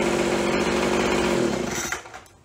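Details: After carb cleaning, carb kit and trigger modification so throttle fully opens and closes, Craftsman (MTD) B2000 25cc two-stroke blower (had "wont stay running"): steady even buzz about two seconds, then shuts off cleanly, no surging; fixed, running normally.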